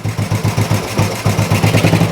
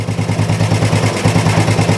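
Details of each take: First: Old Royal Enfield 350 single after long storage and carb work, not yet fully warmed up: slow, even idle thump with evenly spaced beats, no misses or knocks; engine sounds really sweet, normal healthy idle. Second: Old Royal Enfield 350 single, first start after long storage: lumpy, uneven low thump at idle, choked-sounding and struggling, smoking; exhaust may be choking it (unconfirmed). Rough idle after long storage, yet best start ever after standing.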